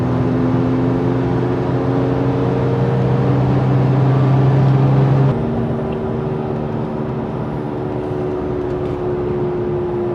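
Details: Toyota FJ Cruiser while driving: loud, steady low hum/groan that drops in pitch as the truck slows; bad front passenger-side wheel bearing; both front bearings replaced as a pair.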